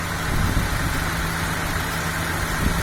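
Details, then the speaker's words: 1997 Honda Civic Ferio automatic, original 1997 engine: steady even idle hum with no misses, knocks or shake, minimal vibration; smooth, healthy. "Untuk usia mesin, ini usia mesinnya tahun 97 sesuai usianya. Langsam ya."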